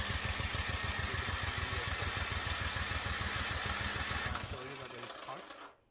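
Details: Craftsman 24-inch electric-start snowblower left unused all summer: it cranks steadily but won't start despite spark and fuel and a new spark plug. Carburetor cleaner got it running without removing the carburetor.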